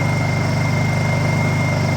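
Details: Honda EU2000is inverter generator, bought as non-running, just started cold on choke and warming up before an oil and fuel change: even, steady drone at constant speed, no misses, knocks or surging; normal running.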